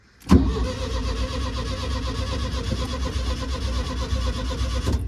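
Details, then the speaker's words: VW that won't start; owner suspects it was driven until the tank ran dry, with only the fuel left in the carb. Starter churns steadily for about five seconds with no catch or firing: it cranks but won't start. "Right, he won't start, but let's give it a whirl. That's just the fuel in the carb."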